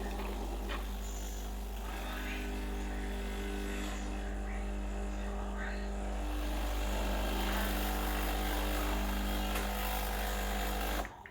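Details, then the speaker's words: Breville Dual Boiler BES920 espresso machine, freshly serviced, running a blank shot after extraction to rinse group head and portafilter: steady low pump drone with water rushing, then cutting off; normal pump operation. "after the shop i like to just like another blank shot just to rinse the group head and the portal"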